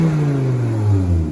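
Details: 1996 Volvo 850 2.5 non-turbo, lowered, with newly fabricated exhaust from surplus and scrap parts (previously had none): smooth deep even note rising and falling with revs, no rattles or blowing leaks; healthy exhaust.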